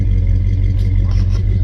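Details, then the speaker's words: 1966 Plymouth Belvedere 440 Mopar V8 after FiTech EFI install: deep, steady low rumble with an even beat and nothing rattling on top; smooth idle, a lot quieter than before. "it I like it I really do let's try this again here once I put the earth in around I guess it'll fit out but this here is not even noisy or anything is it's really quiet"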